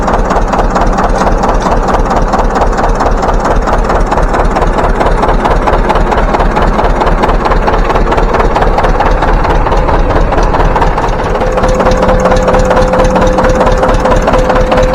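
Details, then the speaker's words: John Deere 720 two-cylinder diesel started by its four-cylinder pony motor, after pony starter repair, new ignition coils and fuel leak repairs: slow, heavy pop-pop beat about two firings a second, steady and even; normal running. "we're going to fire it up for you and show you how she runs now with them that pony motor hitting on all four cylinders"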